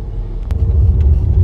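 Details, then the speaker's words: A Ford EcoSport Titanium with a dual-clutch automatic at road speed gives a heavy, deep rumble from the rear; the right rear wheel bearing is judged badly worn and needing urgent replacement. "Nyoba ini juga suaranya gemuruh banget belakang ini. Bearing roda belakang kanan menurut saya harus cepat diganti. Ini gemuruh banget parah."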